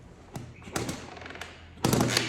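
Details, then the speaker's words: Honda CR80R two-stroke, spark plug pulled, finger over plug hole, kicked over with throttle closed: each kick gives a sharp thump and strong crisp puff of air, pretty good compression. "that's pretty good compression i don't have my throttle open that's almost sticky enough to do it"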